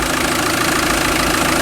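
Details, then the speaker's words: Fully rebuilt Fiat Scudo 2.0 HDI diesel van engine at idle, microphone close to the engine: smooth even clatter with no knocking, tappet, tensioner, timing belt pulley or worn bearing noise; a little belt noise, with new alternator and power steering belts fitted. "So fully rebuilt. Sounds beautiful. No knocking, no banging, no tappet noise, no tensioner pulley noise, or any timing belt pulley noises, no bearings, no worn bearings."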